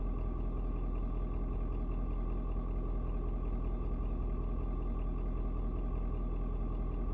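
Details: Ford Super Duty 6.7 diesel, after a 56°F cold start: steady low clatter settling slightly as rpm drops, no misses or knocks; owner unsure if block heater turning off; normal idle.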